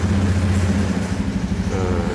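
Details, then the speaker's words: 2017 Honda Beat fuel-injected scooter, no fault codes stored, idling at about 1500 rpm, which is standard: an even, quick putter with a steady low note and no misses or knocks. The engine runs normally. "nah ini putarannya caranya sebesar 1500 ini ini standart sudah ya saya kira itu di kondisi motor sudah sudah berjalan dengan normal"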